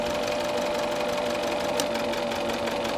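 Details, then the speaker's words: 2017 Isuzu D-Max 3.0 L diesel running badly, injector number four disconnected at idle: steady tone over an uneven lumpy beat, rough running with no change from cutting that cylinder; number one cut makes a big difference. "have a look at how rough the engine is running now and I'll let you know when I disconnect the injector okay number four disconnected now any difference I don't think so"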